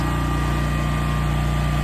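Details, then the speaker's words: New Westinghouse 20,000 W portable generator powering the whole house: a steady, even drone with constant pitch and no dips or knocks under load, running great. "We are powering the house and this thing is is running great."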